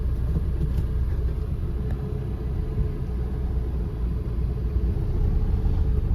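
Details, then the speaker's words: 2013 Maruti SX4 diesel, about 2 lakh km, after replacing steering ball joint, tie rod end, both shocks and bushes, plus alignment; previously knocked from the left on rough roads; now steady low road rumble, no knocks over bumps. Quiet steering and suspension. "ഇപ്പോഴേ steering ഭയങ്കര free ആട്ടോ നമ്മൾ first എടുക്കുമ്പോൾ തന്നെ അറിയുന്നുണ്ട് ആ ഒരു അടിയൊക്കെ പോയിട്ടുണ്ട്."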